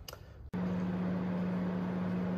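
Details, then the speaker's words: VW Corrado G60 after replacing the two-speed radiator fan temperature switch, car then switched off: steady, even motor drone as the electric fan runs on its high second stage, which didn't happen before; old switch blamed for overheating. "so i just pulled the car in and turned it off and you could clearly hear the fan running and running in the uh the second stage in the high mode so uh that's a good sign because that was not happening before"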